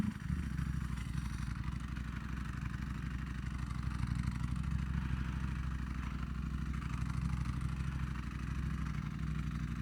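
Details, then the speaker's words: Ducati Panigale V4R, 998cc Desmosedici Stradale R engine, at idle after arriving at a meet: even idle with a loose, fast metallic rattle on top, confirmed as the dry clutch; normal dry clutch rattle. ">> The is the rattling sound. Is it the the clutch? >> The dry clutch. Yeah. Yeah."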